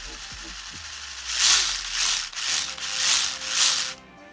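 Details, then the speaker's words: Axial Capra RC crawler in four-wheel drive, after loosening too-tight pinion gear mesh and setting DIG endpoints: short bursts of light even gear whirr, no clicking; transmission now quiet. "this extremely quiet now i'm happy with that um turned out to be all the gears were in the right place the pins were the right way around they were sitting in the round parts uh all it was down to was the gear mess between the pinion and the gears and the gearbox um just too tight"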